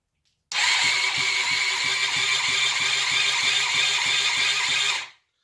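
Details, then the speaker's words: Budget project motorcycle after electrics work and fuel added, petrol leaking from breather tube; even cranking pulses about three per second under a hissy whirr, nearly catches but never fires; cranks without starting. "That's trying, isn't it? I'm slowly getting there."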